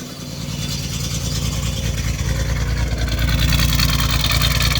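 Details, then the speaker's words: 1989 Chevrolet Celebrity 2.8 V6, three-speed automatic, new exhaust: idle goes from steady to lumpy, uneven chuffing when the crankcase vent hose is unplugged; misfire from a vacuum leak, owner suspects lower intake manifold gaskets. "the most healthiest 2.8 i've ever seen ever had going smooth now watch this and now it's misfired"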